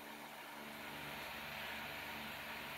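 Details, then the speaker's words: Small 3-speed desk fan with riveted blades and a tiny weak motor, run on low speed: steady airy whoosh with faint hum, motor noticeably loud; noisy fan motor. "It's kind of noisy. It's basically a mini industrial fan. You hear how loud that motor is"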